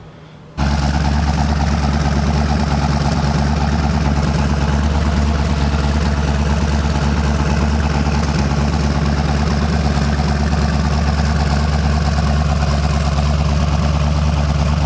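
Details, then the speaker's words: Mazda RX-7 rotary with new engine, merged single exhaust, poor throttle body forcing a high idle near 1000 rpm after adjustment: smooth, steady idle with even low burble and no stumbling; normal idle. "i did adjust it a little bit better and it just it has to have a high idle it kind of sucks but I mean it's still about a thousand it's not too bad"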